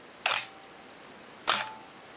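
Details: Minolta X-700 35mm SLR, lens removed, shutter at one full second. A crisp mirror-and-shutter snap, then a second clean snap about 1.25 s later; normal shutter operation.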